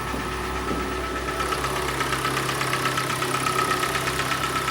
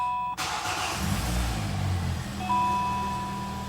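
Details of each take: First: Hyundai i40 G4NA engine, 113,000 km, at idle, louder when cold: scored cylinders causing a dull, hollow piston-slap knock a little over once per second. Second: Hyundai i40 G4NA, 113,000 km, first start after engine repair for cylinder knock: starter whirr, catches and settles into a steady even idle with no knocks or extraneous noises and no errors; normal idle.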